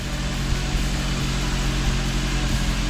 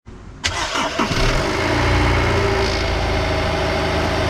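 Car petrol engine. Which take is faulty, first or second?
second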